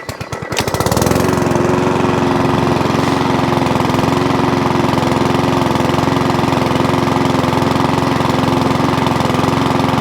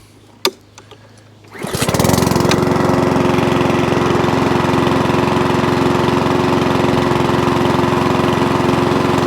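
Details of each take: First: Old Mountfield 414 mower with a new spark plug and pull cord: it starts and settles to a fast idle with a faint hunting surge and won't restart from cold. A carburettor problem is suspected; a carb clean is planned. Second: Old Mountfield 414 (or 416) rotary mower, single-cylinder: catches from cold after a short pull and settles into an even steady buzz with no hunting or surging; it now runs normally with the right amount of fuel.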